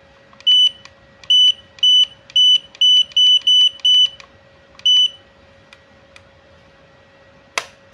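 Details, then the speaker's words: Godox AD300 Pro flash, water-damaged with its board destroyed by an earlier botched repair, before repair at lowest power with the ready light on: only short high beeps with each button press and no firing pop; the flash is not firing. "Coba kita pencet ya. Iya, memang nggak mau nembak ya teman-teman ya. Nggak mau nembak."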